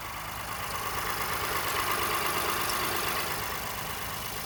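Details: 2018 Honda Ridgeline Sport, about 30,000 km, parked after cold start: intermittent thin high chirp/squeak from passenger side of engine in short bursts, not in sync with RPM, disappears once warm; origin unknown.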